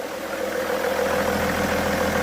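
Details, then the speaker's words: 2007 BMW E61 525d diesel, previously shaking and idling erratically with smoke on cold start, after repair: steady even idle, smooth hum, no stumbles or shaking, no smoke; healthy. "absolutely perfect. Running really smooth, as you can see. No shaking, no vibrations, no nothing."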